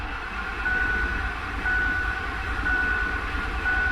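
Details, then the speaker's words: 2007 Ford F-150 4.6 V8 with flashing MIL and P0302 misfire history, cranking in clear-flood mode at wide-open throttle: steady even cranking beat, no lope or stumble, so no serious mechanical problem suspected; owner suspects failed coil or plug. "so it has no lopiness to it so I don't think we have a serious mechanical problem I suspect a failed coil or plug or something like that"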